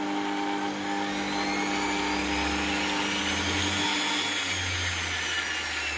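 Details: Universal washing-machine motor reused as a roller sander, fitted with a speed regulator to tame its up-to-17,000 rpm speed and keep torque: smooth, steady whine with a light brushy hiss, no knocks or grinding; normal running at controlled speed.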